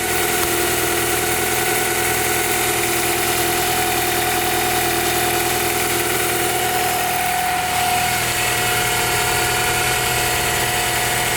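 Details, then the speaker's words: Honda Prelude VTi 5th gen H22A5 2.2 VTEC after more timing belt fitting attempts: steady idle with a thin constant whistle from the timing belt area; the belt no longer appears to rub, and the cause is not found. "Bien que le principal problème soit résolu, la courroie ne semble plus frotter sur quoi que ce soit. Mais alors, qu'est-ce qui génère ce bruit à la con? Mystère."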